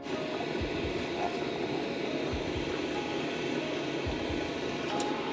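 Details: HCalory diesel heater in a van at 24° outside; constant airy blower roar at high output with only faint soft fuel pump ticks underneath, the quietest pump tick the owner has heard; smooth, healthy normal running.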